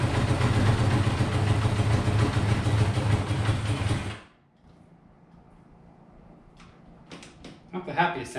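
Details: Honda CB500 four-cylinder after carb rebuild and float reset, on auxiliary tank; deep, lumpy, uneven running with stumbling beat before dying away, struggling to hold idle.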